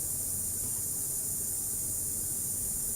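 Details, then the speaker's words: Car audio preamp with main volume off and treble turned up full: steady even hiss like rain, no program sound; preamp hiss present from the factory, fixable. "เนี่ยซ่าเลยเนี่ยวอลุ่มหลักปิดอยู่นะนี่ปิดอยู่นะฮะปิดอยู่เนี่ยซ่านะฮะถ้าอย่างเงี้ยเขาเรียกปีซ่าฮะ"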